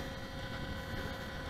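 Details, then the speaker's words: HSD 90mm Viper Jet RC plane on 8S with gear up: constant low electric buzz from the gear door servos continually driving the doors closed, stalled against their stops. Considered normal for this setup. Servo buzz stalled against stop. "you might prob here the buzzing which has stopped but it will come back that's from the gear door servos which continually Drive the doors closed"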